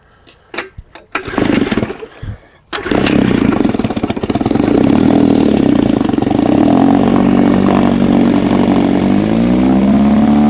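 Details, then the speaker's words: Old two-stroke outboard after swapping obsolete coils for cheap substitutes and new plug wires: a few cranking bursts, then a steady, even buzz, running clean; sounds good, shut down quickly as no cooling water seen. ">> It sounds good."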